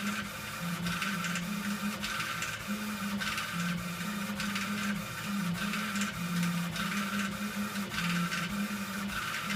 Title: rattle noise from epilog laser machine